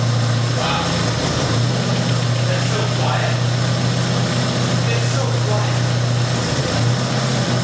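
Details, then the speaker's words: 1996 Honda Accord four-cylinder, first real start after head gasket job with ground exhaust valves and valve lash set: even steady idle hum, no ticking or knocking, settling smoothly; runs normally. "Sounds good. Wow, he loves life. That sounds so good."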